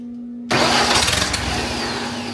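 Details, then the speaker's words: Long-sitting wood chipper engine with a new fuel pump, no fuel reaching the pulled fuel line: starter cranks hard with fast, uneven churn and a few catches but never runs; owner suspects no gas in the lines. "No fuel coming. I think what we're going to do is put a little starter fluid in it."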